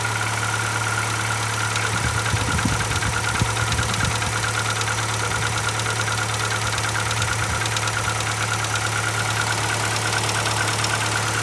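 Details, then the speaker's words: Gold Rover 25 Advantage, just bought, started out of gear with a suspected weak battery: it struggled to start and tapped briefly, then settled into a steady, even idle with no tapping. "pretty that's pretty good going now it did struggle to start up then"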